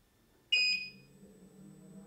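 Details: Gotway RS-19 electric unicycle, new and just unboxed, at power-on. A single bright two-note chime fades within half a second, then faint hiss; a normal startup tone.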